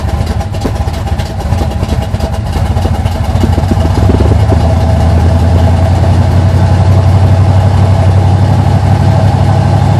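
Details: 1980 Sierra C15, junkyard L31 Vortec 350 (130k-mile pistons/rods, 9.5:1), Summit K1107 .488/.510 lift cam, Performer RPM intake, 600 Holley, Flowtech headers, Thrush turbo mufflers; cold start: loud, choppy, uneven lope with a few throttle blips from aggressive cam; mic clipping.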